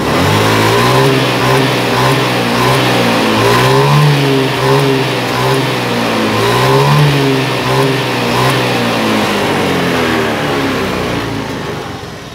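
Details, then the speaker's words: Honda Beat FI scooter that intermittently stalls after 1–2 km and restarts: revs crisply and falls back cleanly several times; stall not reproduced, fuel pump pressure and TPS judged fine. "dilihat dari responsifnya tadi kan gasnya normal ini bagian fuel pump nya tidak bermasalah"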